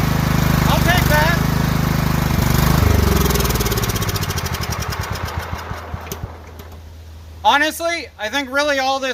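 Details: Kohler single-cylinder riding mower from an auction, running on the jumped starter: it runs steady for a few seconds, then winds down and stops; owner suspects a bad starter solenoid.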